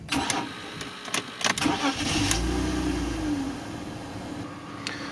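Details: BMW 325ti inline-six restarted after clearing stored faults (misfires on all cylinders, bad air ratio): a few clicks, quick catch, one rev, then a smooth steady idle with no warning light, a normal start.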